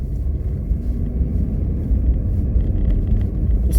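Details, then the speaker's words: Renault Duster, cold cabin, engine not yet warmed up, heater on low, accelerating: only an even road and engine rumble, no dashboard creak or crackle after the rubber strip fix on the dash; quiet, healthy cabin. "господа полная тишина в салоне нету скрипа нет тут потрескивания характерного такого который был ранее до резинки"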